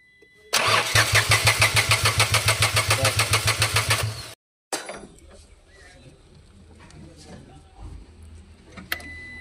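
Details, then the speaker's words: Renault Kwid with late starting, heavy misfire and codes 033564/0313F8, after a faulty ignition coil was replaced: the engine catches and runs with a lumpy, uneven pulse, then cuts out. Dead injectors are being swapped for new ones. "मारिए। ये fire कर रहा है। ये दोनों फिर से मर गया एक बार।"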